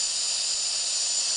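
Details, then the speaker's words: Air compressor being tested, pressure slowly going up: steady high-pitched hiss of air leaking from the broken regulator and tap housing, to be replaced with one from an old compressor. "A bit of a leak. Oh, this housing here with the regulator in it and the taps is broken. Oh well."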